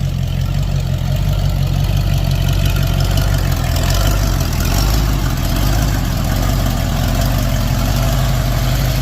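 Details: 1992 Ford F350 tow truck, just off the trailer and needing a driveshaft, gives a deep, heavy idle with an uneven, wavering pulse; runs rough, cause not found, owner thinks it's time to replace the ignition.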